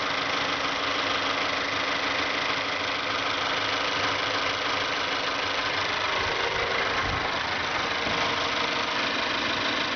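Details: 2012 Mazda3 GS Skyactiv 2.0 L gasoline direct-injection engine, 16,000 km, at idle: light, quick ticking at about three per second over a smooth idle; dealer mechanic called it normal, owner doubts it; cause not pinned down.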